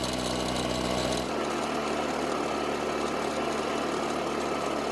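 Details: Husqvarna two-stroke backpack blower that would not start after long-term storage. After the repair, a new throttle cable retainer and air filter, and a check that the carb does not leak, it gives a steady, even buzz with no misses or surging. Normal idle.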